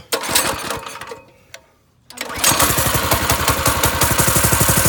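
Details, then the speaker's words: Go-kart engine: it bogs and cuts out almost to silence on throttle, then catches again with quick, uneven firing; the pilot jet was clogged again after riding around. "Okay, so apparently whatever riding around we did clogged up the pilot jet again. Good times."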